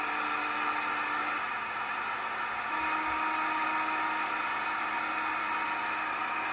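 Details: CB radio band: steady hiss with a warbling tone that shifts pitch midway, about four pulses a second; interference of unknown source.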